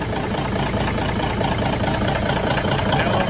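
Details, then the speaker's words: 1981 Peterbilt 359 diesel on its first start, bought untested for a rebuild. A steady, even idle with no knocks or odd noises, and oil pressure is found to be great. "Sounds good. I don't hear any knocks. I don't hear any crazy mystery noises."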